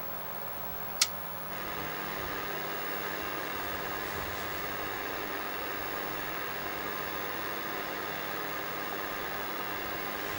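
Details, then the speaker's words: ColecoVision after the power switch was cleaned, still noisy: after a click, a constant rushing ocean-like hiss fills the TV audio with no tone; RF modulator noise, with adjustment screws in the modulator box to be checked next. "Still noisy in there. Alright, well, sounds like there's an ocean in there."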